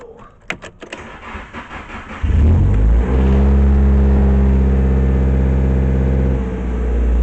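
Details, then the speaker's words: Nissan 240SX back together for its first drive: engine catches at about two seconds and settles into a steady, even idle; the earlier catalytic converter rattle is gone and the exhaust sounds healthy. "that rattle is definitely gone from the catalytic converter. It sounds much better."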